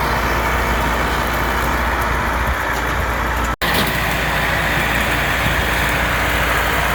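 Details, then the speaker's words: Allis Chalmers 6080 tractor diesel, freshly overhauled, mowing. A deep, steady roar holds speed under mower-deck load with no misses or knocks and pulls cleanly: normal running under load. "Well, that's that. 6080's running good. It's using very little fuel, like they do."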